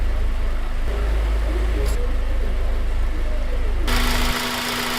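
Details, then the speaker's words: Honda Civic Type R EP3 after replacing the water pump and idler pulley and bleeding the coolant: an even idle with a steady low drone and faint hum, and no squeal, rattle or whine. Earlier noises gone; normal idle. "The noises are now all gone and I'm absolutely delighted."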